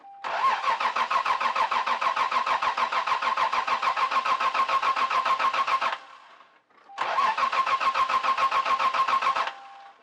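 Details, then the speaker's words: 1992 Lexus SC300, 1JZ, 5-speed, getting fuel and air but suspected of lacking spark, before plug replacement: two long cranking bursts at about three and a half turns a second, never catching: crank no start. "so the last video about my Lexus I said it didn't start and it doesn't and I think it's a spark issue it's getting fuel is getting air so it needs spark"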